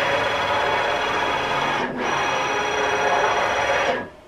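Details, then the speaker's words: DIY CNC build, long ball screw on a support bearing that takes no axial thrust, driven at an exaggerated 8,000 feed rate: fast, harsh buzzing rattle through the traverse, pausing at reversal; the screw whips and everything wiggles, even at 6,000. "everything is wiggling so even thick uh 6,000 is not nice"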